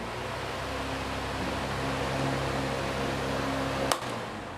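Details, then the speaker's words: Usha pedestal fan after condenser (capacitor) replacement and reassembly, plugged in for testing: steady low motor hum under even airflow rush, no rattle or wobble, spinning smoothly. "చూడండి friends ఏందా తిరుగుతుంది అనేది మీకు కనిపిస్తుంది కదా చాలా smooth గా అయితే తిరుగుతుంది"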